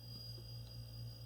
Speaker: let's plug it in and find out much better sound now you can hear it winding up